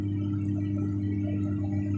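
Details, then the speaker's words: Homemade amplifier converted to class AB: steady low buzzing hum from the speaker at idle, with the DC offset drifting up and down; input at the driver is normal, and the fault is a rare one. "Ini bunyi di speaker itu ada dengungan. Mudah-mudahan bisa terdengar."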